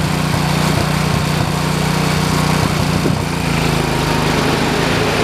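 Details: 1973 112 tractor after new points, coil, condenser and points readjustment: single-cylinder holds steady, even chug at fast idle, no misses or stumbles; ignition firing cleanly, normal running.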